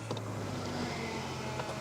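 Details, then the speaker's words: Cheap BMW with a fuel pressure problem, engine off and ignition on after a test drive: steady low hum and faint high whine from the electric pre-supply fuel pump, which is still unusually noisy. "that fuel pump is still noisy let's see if it fires up straight away again"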